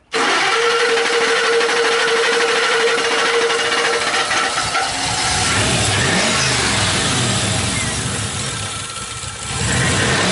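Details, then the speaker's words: 2003 Ford Explorer V8 starting after fixing a crank-no-start caused by a shorted DPFE sensor pulling down the 5-volt reference: rough idle with a puffing, ticking exhaust leak, plus some misfire. "Got some exhaust leak and stuff, but okay, shut it off and start it back up."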